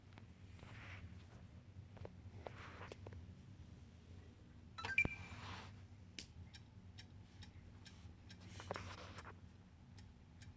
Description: When I start the Xbox One, it makes a series of clicking noises and will not load beyond the green screen.